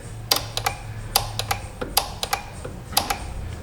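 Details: 2015 Kia Sorento that cranks but intermittently won't start: sharp, irregular dry clicks, about a dozen in four seconds, as relays chatter when the fuse box is pressed; bad solder joints in the fuse box.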